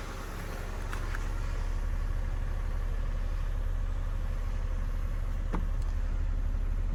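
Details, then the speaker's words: Suzuki Swift after replacing the faulty cylinder 4 ignition coil: a smooth, even idle with a steady low beat and no skips. The misfire is gone. "We'll back in and we'll start it up and make sure that misfire is gone. Definitely is."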